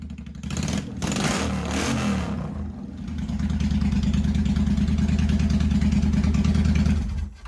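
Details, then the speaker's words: 1985 Honda VT1100 Shadow V-twin, first start in 25 years, enricher off, idle raised after carb work, no mufflers. A blip of revs, then a loud open-pipe idle of about three pulses a second with a slight lope. Uneven idle, carbs not yet balanced. "That's not too bad. That's with the enricher off, and just the idle I had bumped up apparently when I was doing the carbs, and they're not even balanced yet."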